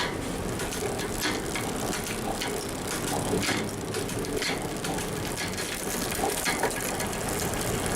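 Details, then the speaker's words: Newly built mountain bike with a SRAM X7 rear derailleur after B-screw adjustment: quick crisp clicks as the chain steps across the cassette gear after gear, with no grinding or chatter; shifting cleanly and quietly. "See how quiet? Burn. And that goes all the way down without going over. See, that's nice and quiet. You just want to get it adjusted until you find that sweet spot."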